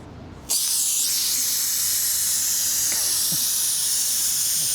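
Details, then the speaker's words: BMW R1300 GSA rear tyre, large nail just pulled out with pliers: loud, steady hiss of escaping air begins abruptly and holds constant as the tyre deflates through the puncture. "Yeah, it's going to go down in a bit when we take it out. Gosh, it keeps on going."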